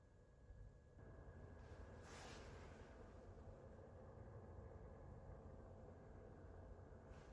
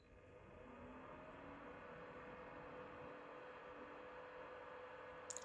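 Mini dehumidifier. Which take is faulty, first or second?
second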